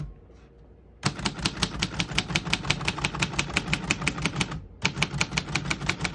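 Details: 1948 Royal Quiet De Luxe portable manual typewriter typing a line: fast, even keystrikes about five per second with one brief pause, each crisp and consistent; healthy mechanism.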